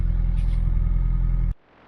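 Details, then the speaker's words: Mini Cooper MPI just started cold after 3 months unused, stored on full tank of Shell V-Power E5: smooth, even idle rumble, no knocks or misses, then switched off; normal idle. "so as you can hear it's running absolutely fine"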